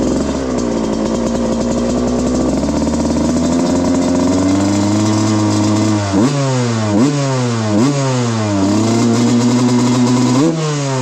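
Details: 1995 Suzuki RM125 two-stroke, rejetted from rich 180 main to about 160 main and 45 pilot, 40:1 premix: crisp idle and sharp rev blips that climb and drop cleanly without bog; normal two-stroke running.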